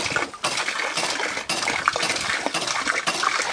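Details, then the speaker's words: Experimental double-effect siphon hydraulic ram pump on a fall of just under 1 m, lifting water to about 4 m: steady valve clack about twice a second over splashing water. Ram cycles normally but delivers little. "Là, c'était juste pour le voir fonctionner, pour voir un bélier cphoïde fonctionner que j'ai fait"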